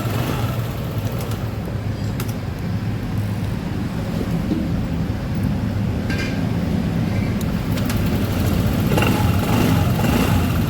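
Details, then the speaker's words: Honda ADV150, battery 12.3 V, restarted hot; previously hard to start when hot, now fixed: steady, low, even single-cylinder putter without misses or knocks; normal idle. "Okay, then start it and it's okay. One more time. Yesterday, this didn't work at all."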